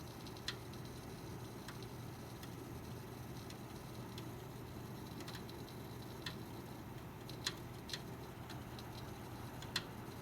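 Irregular sharp ticks and crackles, a few seconds apart, over a low steady fan hum; source inside the PC isn't clear.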